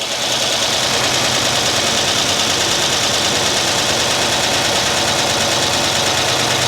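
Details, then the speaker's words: Freshly rebuilt 2006 LS4 5.3 V8 with cam swap in a Monte Carlo SS on first start: fast, rattly lifter tick over the idle that quiets as oil pressure builds. "he a little loud it's a lifters it'll shut up give it a minute yeah now they're getting quiet"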